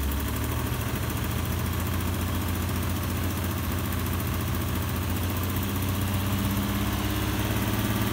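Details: Alfa Romeo GTV6 engine shaking at idle: low, uneven pulse that wanders instead of beating steadily, with a shaky hum underneath; rough idle, cause unknown.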